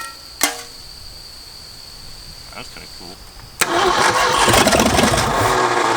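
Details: 1965 Ford F250 first start after 26 years abandoned: a bang, then it catches and runs rough and uneven, staying alive only with the throttle pumped or high rpm; later traced to ignition timing.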